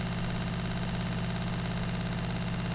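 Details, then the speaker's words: VW LT35 camper van water pump, after setting the drain button closed, pressurizing the new plumbing: steady low electric hum, even drone, no surging or rattle; pump running normally while checking for leaks. "We should get some noise once again from the pump. And if it pressurizes, it should stop."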